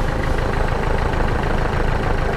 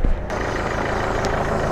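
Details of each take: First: Nissan Micra with push-button start, running after a steering lock switch replacement: steady low idle with a rhythmic ticking pulse about three times a second; abnormal idle noise, timing belt mentioned but cause not confirmed. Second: Nissan Micra, push-button start with clutch pressed, after steering lock switch replaced and battery connected: quick catch, then a steady, even low idle with no knocks or misses; engine running normally.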